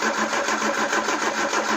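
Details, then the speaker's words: Peugeot 309, carburettor with camshaft-driven mechanical fuel pump, after petrol poured down the carb: steady, even cranking churn that never fires; turns over but won't start. Owner suspects too little petrol and a low battery, not confirmed. "Not a lot. I think it's safe to say I'm going to need more petrol and charge the battery up, and we'll try again."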